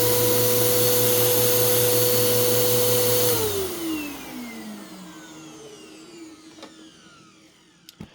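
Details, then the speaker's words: Bissell PowerClean OnePass multicyclonic vacuum after rebuild, run with old dirty filters (HEPA likely restricting airflow); smooth, even high whine for three seconds, then clean spin-down at switch-off; motor sounds healthy, normal running. "I mean I don't know about you but to me that sounds great obviously"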